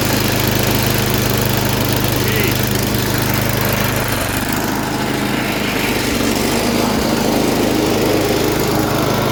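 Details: MTD snowblower sat about a year, revived with fresh gas plus cleaner, primed, choked, throttle about half: steady even drone at constant pitch, no misses or surging; runs well, auger works, wheels not driving.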